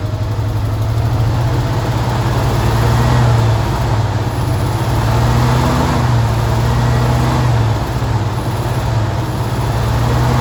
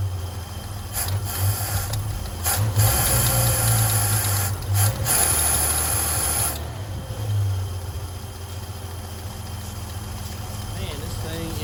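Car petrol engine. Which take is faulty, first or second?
second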